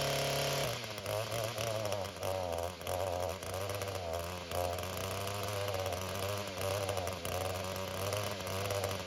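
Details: Echo GT-225 two-stroke string trimmer, cold start after a fuel system rebuild (the cracked fuel bulb had caused a vacuum leak). Buzzy note drops and runs unevenly, bogging and choking out at higher RPM. Carburetor adjustment suspected, not confirmed.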